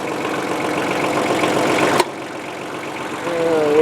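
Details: 1994 Ford/New Holland 1715 compact diesel tractor just after a frozen clutch was replaced: an even, low diesel chatter at steady idle with a brief break, then smooth running. No clutch squeal or grinding; a healthy idle.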